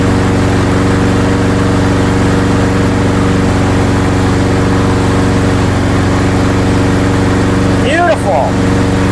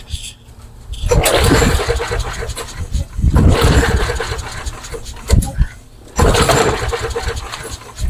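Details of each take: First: Craftsman mower with Briggs & Stratton engine after repair, primed and started with a light pull after one failed try: steady, even putter with constant pitch and no misses or surging; working perfectly, though its oil is completely black. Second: Craftsman mower with Briggs & Stratton engine, three primes, trying to start on its own fuel: three hard pulls spin it over with no firing, as fuel isn't delivered.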